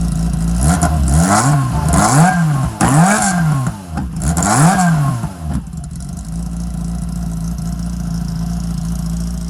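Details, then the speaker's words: Engine on the dyno, with a 1040 steel crank, checked for flooding from oversized pump jets, recorded on a phone: crisp rev blips rise and fall cleanly with no stumble or bog, then a steady idle. The engine picks up fine. Normal revving. "now um the engine picked up fine"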